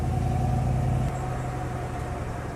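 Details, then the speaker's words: Street-driven car with a brand-new Rossler 3-speed transmission, which isn't downshifting: engine drone drops in pitch with one firm clunk at the upshift. Normal crisp, strong shift feel. "I'll tell you, that clunk when I shift, that to me, that's the sound, that's the feeling of a good, strong, brand new transmission."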